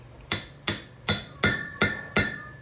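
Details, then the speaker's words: Honda J-series valve stem seal pressed on with an oiled 5.5 mm installer; six light hammer taps, and from about the third or fourth each tap rings with a changed pitch, showing the seal is fully seated. "And you'll hear, eventually you'll hear after like the second or third hit, you'll hear the pitch change of the impact, all right?"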